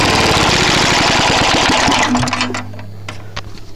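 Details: Trashpicked Tecumseh lawn mower engine, first start after many years: small single-cylinder popping unevenly about three and a half beats a second, then dying; worn-out engine with bad head gasket, carb and piston, burns lots of oil.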